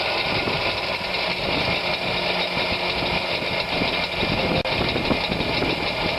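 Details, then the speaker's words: Zeta car started after ten years stored in a shed, with only a battery and fuel added: steady, even idle with a slightly rough, busy top end and no knocks or misses; sounds healthy. "Taking it out of the shed after 10 years, all we've done is put a battery of fuel, as you've seen this morning, and she's running."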